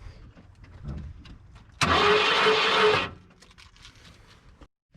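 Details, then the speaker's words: 1991 Ford F150: starter makes short high whir hitting flex plate but engine never turns over, no cranking rhythm or firing; broken flex plate suspected, possibly crank, transmission to be pulled. "okay so we see starter hitting the flex plate all good but it sounds like the motor's not turning over okay sam crank it and the motor's not turning over so that means our flex plate is broken"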